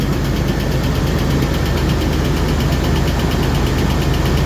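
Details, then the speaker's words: Jeep TJ just after heater core reassembly, first cold start: a light, quick lifter tick keeps time with the idle over a steady rumble. It is a lifter that occasionally loses its adjustment, and the tick quits once the engine warms up and the lifter pumps up. "Ticks for a little bit until it warms up and pumps up, and then it quits."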